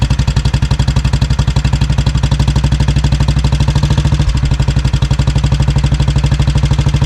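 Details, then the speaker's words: 1957 Royal Enfield 500 Bullet single-cylinder, first run after nine months unheard, petrol turned off. Slow thump about three beats a second, lumpy at first then settling evenly as fuel runs out; it was running rich from flooding. "And you can see here as it starts to run out of petrol, it starts running nice and evenly. So, I was just flooding it."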